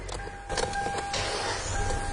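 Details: Car started after its battery was reconnected, once diagnosis was finished: quick crank whir with a faint steady whine, then the engine catches and settles without hesitation; a normal, healthy start.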